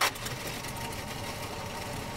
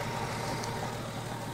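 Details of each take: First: 1970 Dodge Dart engine, long-sitting car being revived, run on fuel poured into the carburetor before the fuel pump primed: runs rough on its own several seconds, then fades and dies; stall from fuel starvation. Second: 1970 Dodge Dart, long-sitting car, running after adding gas with the fuel pump working: steady, even low idle with no misses, knocks or ticks and only a little smoke, a healthy idle.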